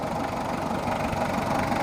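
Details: Mitsubishi Kuda diesel, still cold at 68 degrees, after service and injector nozzle replacement: even, steady idle clatter with no misses or heavy knocks; engine idling healthy.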